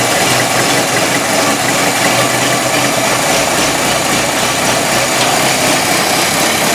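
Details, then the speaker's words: 1923 Ford Model T depot hack just after manifold replacement, started: loud, steady four-cylinder idle with even beat, no misses or knocks, running smoothly while warming up. "start different already have fire right sounds good yeah a little while yeah give it a couple minutes"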